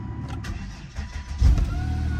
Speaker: Started right up. Started right up.